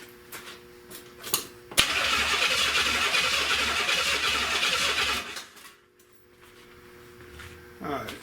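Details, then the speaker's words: 1970 Buick Wildcat 455 V8, fed from a fuel can: the starter spins steadily at about four turns a second for three seconds but the engine never fires; the fuel pump delivers no fuel. "so I ain't getting nothing off the fuel pump. I ain't getting nothing off the fuel pump."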